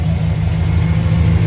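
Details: Freshly installed engine, first start about 26 hours after RTV sealing and an oil top-off: a steady, even low idle with no knocks, misses or squeals. The engine runs smooth and healthy.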